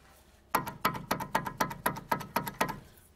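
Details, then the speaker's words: 2000 Nissan Almera 1.4 petrol, microphone close to the driveshaft, noisy when steering left or on rough roads after a sudden crunch: nine sharp, evenly spaced clunks about four a second from a failed driveshaft CV joint. "the drive shaft or the CV joint has failed in some kind of a way I don't know what way"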